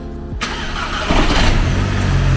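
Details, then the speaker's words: VW Golf MK5 GTI, 170,000 miles, barn-find, engine start; loose plastic clonking over fast idle from the airbox, no timing chain noise heard on startup. "So that rattle that I heard then was the actual airbox. That was it, that. Yeah, clonking away."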